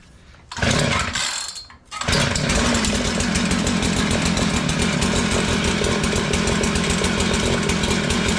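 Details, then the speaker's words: Curb-found Mantis-style tiller with a Tecumseh two-stroke, started on choke: it catches and holds a fast, buzzy, steady run, but the throttle does not respond; the carburetor was adjusted afterward. "Alright, she runs, but if you notice, I was squeezing the throttle and it was not responding."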